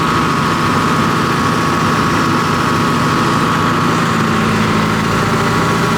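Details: John Deere 245G excavator diesel, cold, after repairing over-fuelling number 3 injector: loud steady idle with even rumble, no fuel knock, functions pulled; black smoke cleared, normal running.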